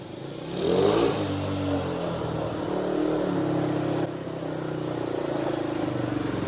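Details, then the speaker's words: 1985 Honda XL250R RFVC single, revived after years abandoned; compression was very low with intake valves suspected leaking, and oil was added to the cylinder. On a ride it revs cleanly into a steady, even pull with no valve ticking; clutch slips slightly from a tight cable. "all right that's it works good the clutch uh slips a little bit the cable a little too tight i'm gonna back that off a little bit"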